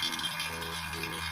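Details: Vacuum pump evacuating a non-cooling single-door refrigerator's system before recharge, run about 10–15 minutes until sound stabilises: steady low hum under an even hiss, no surging or hunting; normal running.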